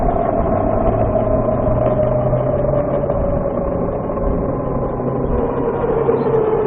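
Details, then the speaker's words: VX1 motorcycle transmission chirp, bike warmed up, lower speed under load: a thin high chirping tone rides over the engine, sliding lower as speed changes; owner says it is worst at low speed under load, louder once warm, starting around 30 mph. "This is when it's usually worst, at lower speeds under load. If I could climb a hill, that would help, but there isn't a hill around."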